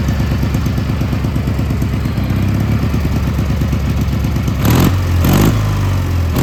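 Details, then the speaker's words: Gravely G-16 tractor, roughly late-80s/90s, not run in a few years, on its own fuel: steady thumping then revs rising under throttle, smooth and even without clatter; runs and drives pretty good, smokes a little. "Yeah, so it runs and drives and everything. Runs pretty good."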